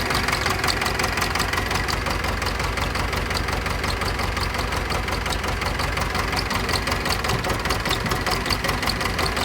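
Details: Pettibone Model B-66 lift machine diesel after being under 8 feet of flood water, hard starting; idles with a heavy uneven knock and loping beat, rough idle of unknown cause.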